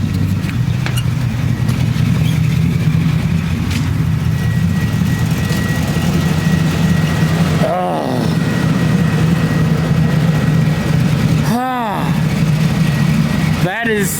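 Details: Chevy S10 with LS V8 swap in place of the old 5.3, smoky exhaust still burning off, deep even idle burble with no skip; sounds like all eight cylinders firing at idle, though it doesn't feel like all eight under drive.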